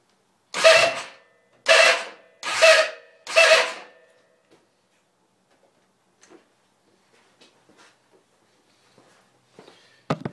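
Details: 2003 Yamaha WR450 electric starter: four short harsh screeching bursts about a second each instead of clean cranking, sometimes still starts; also heard when kicked or after ignition off; owner unsure if solenoid or starter motor.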